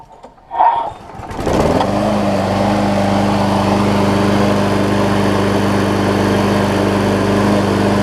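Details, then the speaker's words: Scotts push mower, Briggs & Stratton Quantum about 6.5 hp, after carb clean and self-propel lever replacement: catches on one pull within a second, settles into even, steady run without sputtering; only a tiny bit of surge noted, healthy start. "probably looks clear out of just that tiny tiny bit of surge there on it"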